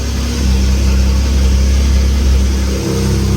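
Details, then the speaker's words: Lamborghini Murcielago LP640 V12 with twin E46 M3 ITBs on Haltech Nexus R5 ECU, first start on updated auto trigger firmware with no map loaded: smooth, even idle with deep steady beat, slight dip near end, no knocks or misses; running normally. "there you go the quiet mod I didn't know that sounds that's running really nicely"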